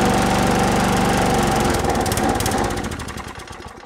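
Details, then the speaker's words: Lawn Boy push mower with Tecumseh engine, fresh fuel, low oil, primed: chugs evenly about two seconds on primer fuel then fades to a stop, indicating a carburettor issue. Engine runs briefly then dies. "so it looked like it ran off the primer fuel and then stopped which indicates a carb issue as well"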